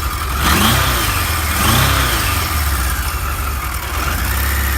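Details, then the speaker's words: Original, stock one-owner 1978 Kawasaki KZ1000 A2 motorcycle, 6,224 miles, stock exhaust: two crisp throttle blips rising and falling smoothly, then even idle with no misses or knocks; normal revving, no smoke. "Let's start it up. It runs good. Got to pull the clutch in. No smoke."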